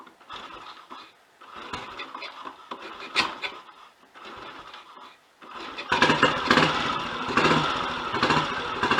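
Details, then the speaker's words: Royal Enfield Model G 350 single after timing pinion and thrust washer work: kick-started in neutral, fires and settles to an even, steady single-cylinder beat with no top-end clatter, much quieter mechanically; normal idle. "I can instantly tell that that's a lot quieter mechanically. So that was a job well worth doing."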